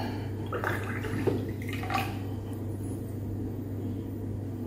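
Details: Manual water-gallon hand pump after repair by reseating its rubber seal: faint gurgle and steady trickle of water with scattered drips; pump now dispensing water normally.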